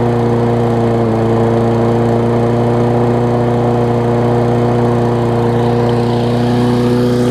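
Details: Toro self-propelled mower with Kohler engine, after cleaning the fouled spark plug to restore spark: steady, even drone with constant pitch, no misses or surging; running smoothly, smokes a little at times.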